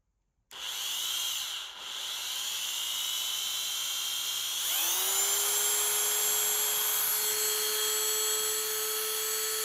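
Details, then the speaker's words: Dremel 3000 rotary tool with a grinder bit, after repair of a seized shaft from water damage, with the bearing taken apart and oiled: a smooth high whine steps up in speed and holds even, with no grinding or rattle. Running normally. "There you go. Seems to work."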